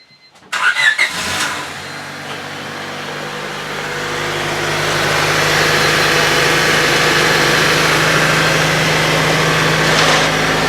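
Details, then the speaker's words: 1999 Honda Civic EX 1.6 VTEC D16Y8 after replacing the catalytic converter and rear downstream oxygen sensor: catches quickly and settles to an even, steady idle with no misses, knocks or ticks; no leaks, running as it should. "Looks good so far. Alright, so everything's working like it should."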